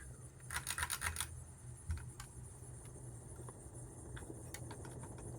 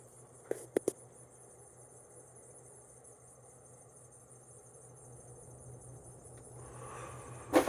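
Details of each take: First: Ticking and light rattling over a low fan hum from a 42in Windsor and Browne Cambridge Collection ceiling fan on a low ceiling; owner got it to quit ticking, suspects the shades and may need to tighten them. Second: 1993 Heritage-made 42-inch Windsor and Browne Cambridge ceiling fan, new old stock, on high speed after an earlier ticking was quieted. Soft steady hum with a gentle wash of air, no wobble, ticking or rubbing. Normal running.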